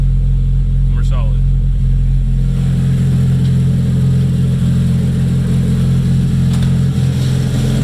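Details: Freshly rebuilt Nissan KA24DET just started, cold with coolant not yet bled, idle surging up and down; owner says vacuum leak from untightened blow-off valve lines causing jumpy rpm; oil pressure good.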